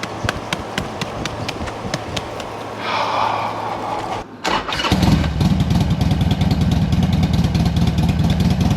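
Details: 2007 Harley Sportster 1200 Custom after no-crank and oil-leak repairs, low fuel of unknown age: light ticking, then the V-twin catches and settles into a loose, even lope with no knock or rattle, a healthy idle.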